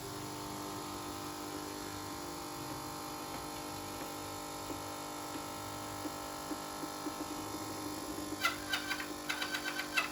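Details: Nivona/Melitta coffee machine while rinsing: a faint, thin, steady multi-tone whistle over the pump, from the leaking crema valve holder seal in the upper piston.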